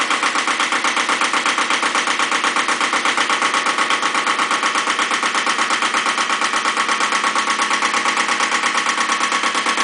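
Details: Second Iseki tractor diesel, possibly KE70, started at 70°F after glow plugs, low power and weak below about 1000 rpm: very regular hard clatter about three beats a second over a harsh idle; cause unconfirmed.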